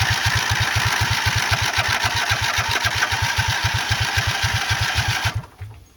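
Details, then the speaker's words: Racing mower just swapped to a 20 HP OHV V-twin, not on choke, fuel confirmed reaching the line: the starter cranks at a steady chug, about four pulses a second for five seconds, and never catches. Cranks but no start; a clogged carburetor is suspected. "Try to put some gas directly into here and see what it does. Sounds like the carb is probably just clogged."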